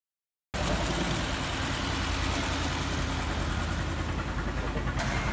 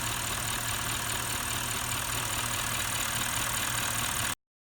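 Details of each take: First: Bentley with the Audi 4.0 litre twin-turbo V8 idles with an uneven, stumbling low rumble; the misfire comes from carbon buildup and is being treated with a direct-injection carbon cleaner. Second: Bentley with the Audi 4.0 litre twin-turbo V8 idling steadily with an even low beat and no stumbles or skips. This follows a direct-injection carbon-cleaning treatment for a carbon-related misfire. Smooth, healthy idle.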